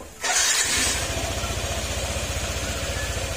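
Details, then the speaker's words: Yamaha NMAX 155 version 1 after engine overhaul for noisy engine near gear side: fires quickly and settles to even, steady idle, now quiet with no knocking; some noise because side cover still open; normal idle. "Okay aan tumahimik na siya ngayon medyo may kayong naririnig Gawa kasi ng ano Nakabukas pa yung nasa gilid natin pero ibangiba na yung tunog niya"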